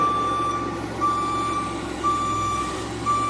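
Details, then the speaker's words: Case 580K backhoe reversing while sliding off the leaking extendahoe: steady single-tone beep about once a second over low engine rumble; backup alarm sounding normally. "May have to edit this out if this beeper, because it's going to be on in a minute. If this beeper gets crazy annoying."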